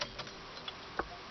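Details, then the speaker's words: Truck with good battery, ignition dead, suspected loose solenoid wire: hazard flashers on with key off, dry light clicks about every half second in a quiet cab; flasher relay working. "if I turn on the fourways a minute ago they were kicking on fourways are on I can hear it click"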